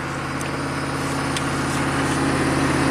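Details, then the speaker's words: 1995 Chevy K3500 6.5 turbo diesel with throttle control fault despite new accelerator pedal and pump driver module: dead-steady high idle at exactly 2,000 rpm versus desired 844, no dip or hunt. "keep in mind, desired idle is 844. We're at 2,000. Exactly 2,000."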